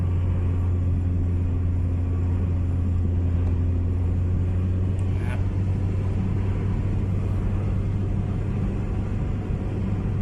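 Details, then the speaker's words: Honda City road test after repair of rough, shaking, stumbling running: steady low engine drone under road rumble, revs rise quickly with light throttle, no surging or stumbling; accelerates cleanly and healthy. "เลยครับไม่มีอาการรอบตรงว่าSwingนะผมแต่เขาเร่งนิดเดียวครับผมรอบขึ้นมาเลยนะครับตาเร่งดีมากครับไม่มีอาการสําไม่มีอาการสะดุดครับ"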